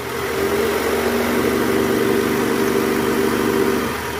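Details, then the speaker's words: 2008 Toyota Camry 2.4 V, 2AZ-FE, shifted into R (before repair): steady droning growl over a smooth idle; weak belt tensioner spring visibly moving, replaced with new part to cure the growl. "Kelihatan banget gerakan dari pegas tensionernya lemah Oke sip Oke bang ya Jadi kita mau ganti Tensioner si partnya kita udah siapkan bunyinya ini ngorok jelas banget ya"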